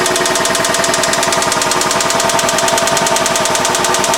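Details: Engine with VVT-i at idle, after five years of clanking, a flickering oil light, and metal filings found in the oil pan: loud, hard metallic clanking about three times a second swamps the idle. A death rattle from a failed bottom end.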